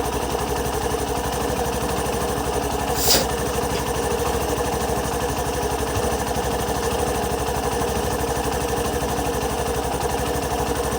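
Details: Hero Passion Pro 125cc bike with i3s switched off, checked for engine cutting out while riding: single-cylinder steady, even idle without stumbling or dying past 10 to 15 seconds, one brief click; normal idle.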